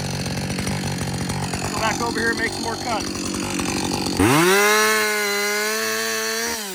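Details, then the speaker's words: Husqvarna 562XP chainsaw, after its longest straight run following a software reflash for hot-dying and stumbling; the owner says it is running its best ever. Bogs steadily through the cut, then climbs to a clean high rev and holds it with no stumbling. Normal running under load. "alrighty everybody this saw that's the best it's ever ran it's the first time I put that much run time on it straight"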